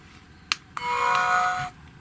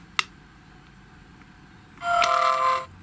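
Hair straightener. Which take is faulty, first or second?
second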